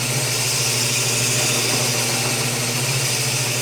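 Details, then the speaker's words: ME100 two-stroke cylinder honed for an oversize piston on a drill press at 400 rpm with a new fine stone, moving quickly for a crosshatch: steady motor drone under an even, gritty stone hiss, no chatter or catching; cutting smoothly. "Start cutting with a fine stone. We want to be moving a bit quicker to give a crosshatch pattern to the cylinder."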